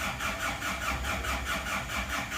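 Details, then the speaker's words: Slow, labored cranking at about four pulses a second, never catching, on a freshly assembled engine with oil and coolant filled and the temperature control not yet wired; the battery is too weak and needs charging. "coba Bismillahirrahmanirrahim Aduh haknya enggak kuat perlu dicas dulu akinya kurang"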